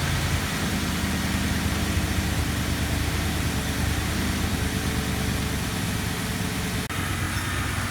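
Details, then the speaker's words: 2004 Ford Crown Victoria V8 at 170,000 miles after replacing the driver's side exhaust manifold and broken studs; steady, even low idle with no tick or puffing, smooth and quiet: normal idle. "but now it's dead quiet nothing is smooth and you bound the dime off this thing"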